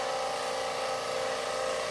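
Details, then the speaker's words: Oxygen generator compressor starts and runs with a steady, even mid-pitched hum, no knocking or stalling, after replacing the capacitor with a 15 µF 300 VAC one from a dishwasher; it stops and restarts normally. "compressors going that's good let's do it again okay compressor stopped ah there it goes"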